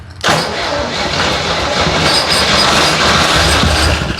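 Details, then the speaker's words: 1963 Jeep CJ5, long disassembled, first start on carb cleaner sprayed into the carburetor with throttle: engine catches and roars raggedly a few seconds then dies; it runs but the mechanical fuel pump delivers no fuel. "Okay. Well, the good news is it runs. Bad news is we weren't getting any fuel."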